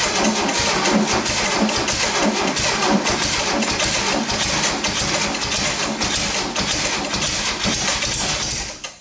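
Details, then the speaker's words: 1972 VW-based Arizona trike, long parked, choked, fuel poured into carb: air-cooled engine clatters raggedly about nine seconds then fades and dies from fuel starvation; mouse debris blown out. "oh yeah fire fire yes she lives I think we need a little more fuel down her throat"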